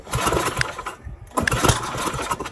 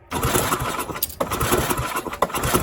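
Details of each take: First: Tecumseh Snow King snowblower stored all summer with fuel and oil drained, primed with a few more squirts after a brief firing: a few pulls give choppy bursts, then the single cylinder catches and runs; normal start. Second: Tecumseh Snow King snowblower stored all summer with fuel and oil drained: uneven pulling and sputtering as a few firings catch briefly then fade; it fires for a second and dies, owner suspects a bad spark plug.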